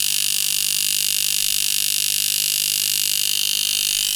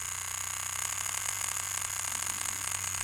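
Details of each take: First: Rotary tattoo machine (Sidewinder V3R vs Poseidon V7 comparison) slowed to 3.3 volts: a slow, hard, even buzz of about four strokes a second with a steady high hiss; softer but still hitting hard, running smoothly and normally. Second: Cheap knockoff tattoo machine (Poseidon V7 compared with a Dan Kubin Sidewinder V3R) turned up a little above 5 volts: a high buzzing whir with an uneven flutter in pitch and loudness; it runs inconsistently and the setting is unusable.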